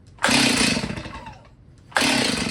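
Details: Stihl chainsaw that sat unused for 10 years, first start attempts indoors: two short bursts of a high, buzzy two-stroke catch off the pull and fade within a second. It fires but won't keep running.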